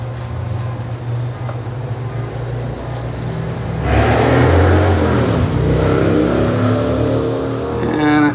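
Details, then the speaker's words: Reverse osmosis deionization water system after overhaul: a steady, even low hum from the booster pump with no surging or rattling, music over it, as it pushes about 90 to 95 psi; the pump is running normally. "all right let's go see what's going on i hear the pump running"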